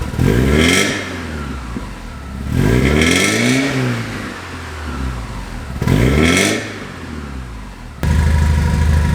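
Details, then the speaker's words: Porsche 924S revved while stationary after the mid-mounted glasspack, fitted in place of the cat, was replaced with a Vibrant Ultra Quiet resonator. Three revs carry a droning ring in the exhaust note at mid revs, an exhaust resonance the owner dislikes. "Well, hopefully it sounds better out on the road, because I don't like that ring. I don't like that noise."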